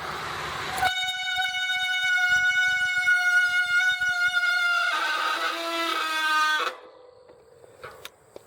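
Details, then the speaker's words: Bicycle brake squeal: loud, piercing tone holding one high pitch, then dropping lower before cutting off. "Okay guys, Big Slick here today and we're going to talk about brake squeal and how to solve it. Let's see if we can get a big squeal going here."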